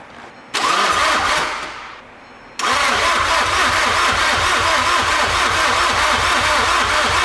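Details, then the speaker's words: VW MK6 GTD with newly installed 400 hp race-built TDI engine; starter churns the engine in two long bursts with a short pause, steady even beat, but it never fires: extended cranking, no start. "It's going, I can hear it. I can hear it, it wants to go, all right? We're almost there. Whew. It cranks over though, which is good."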